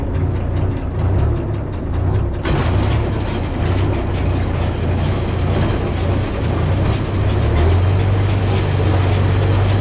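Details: New Holland round baler on an International 1256 tractor after new bearings and chain: steady low tractor drone with even baler chatter, no chain slap or bearing squeal; running normally.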